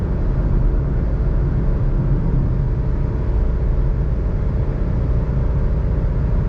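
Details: 2021 Suzuki Alto VXR/VXL 660cc three-cylinder at high rpm on highway around 120 km/h: constant low droning rumble, no knocks or whine; normal.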